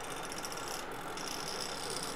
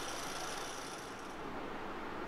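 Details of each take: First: MSI GP65 Leopard laptop CPU fan before the fix: a steady airy whir with a thin high whine; the rotor moves up and down on its shaft. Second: MSI GP65 Leopard laptop CPU fan after reassembly, with a fan part that kept pushing outward now held in place, mic close. Soft, even airy rush; the earlier whirring is mostly gone and only a faint sound remains. Normal fan noise.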